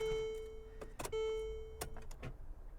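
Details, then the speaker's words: 1993 Dodge Shadow at an auction lot after sitting for years: a warning chime, then one dull click as the key turns and no cranking. Engine suspected locked up, not confirmed. "o yeah that doesn't sound good no that doesn't you just get one little it won't even try to crank uh-uh and you can feel it feel it it's she's locked up"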